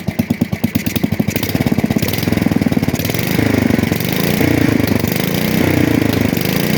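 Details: 1966 Custom 6 engine after reassembly with a new starter-generator bearing, pull-started. The single cylinder fires with slow, spaced pops, then catches and settles into a steady, even run within seconds. It smokes from water in the bore and oil on the block. Normal running.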